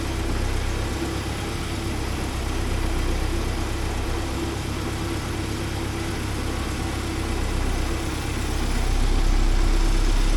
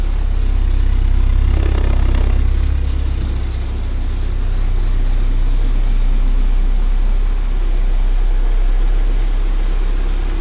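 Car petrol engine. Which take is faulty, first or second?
first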